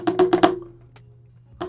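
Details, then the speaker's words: Ninebot Max G2 electric scooter: four quick hollow plastic clacks, a pause, then one more, from a loose module box knocking inside the rear battery deck, heard over bumps. "oh exactly that's the noise right there this is what's been rattling this is exactly the noise"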